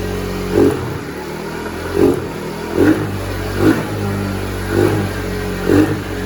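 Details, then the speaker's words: Taotao 50cc two-stroke fitted with a 100cc big-bore kit, on its warm-up break-in cycle while the new rings seat: steady buzz with throttle blips about once a second, picking up cleanly; running healthy. "But yeah, she's running good. She's running real good."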